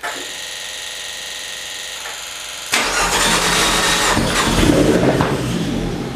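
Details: Fiat 500 Abarth engine in a Fiat X1/9 test body, first start with fuel added to the fuel cell after the pump had been priming dry: a few seconds of cranking whirr, then it catches and settles into a rough, busy run with a steady beat.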